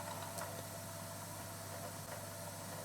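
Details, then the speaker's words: 1986 National RZX-CW30F boombox with Tanashin TN21 cassette mechanism, under repair: tape deck has no take-up. Steady motor hum with faint, uneven gear rattle and ticks, mechanism catching; owner suspects a split gear or mech stuck as if in pause. "Oh, and we've got no take-up. Ooh, so this deck's got issues. Oh, look at that. The gear, you can hear it making a weird... What? These are the gears running it, aren't they?"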